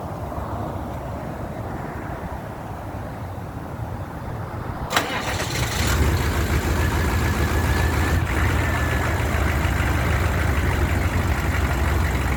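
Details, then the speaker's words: 1994 Chevrolet C3500 HD 6.5 turbo diesel, warm restart after running for the day: it catches at about five seconds, runs rough for 3-4 seconds, then settles to a smooth idle. The hard-start problem (code 36) occurs only on cold first start. "goes now if you was able to hear it for like the first couple of seconds say the first 3 4 seconds it ran kind of rough and then smoothed right out and then the idle is just smooth as can be it runs like it should"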